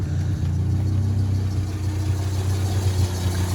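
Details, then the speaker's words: 1987 Ford Sierra Cosworth after three years stored, once cylinder 4 came back: smooth, even low idle with a steady beat and no tapping or ticking; normal idle, minor oil leak burning off the block. "but the engine itself, I mean, it's, as you can probably hear, there's not like any tapping or anything."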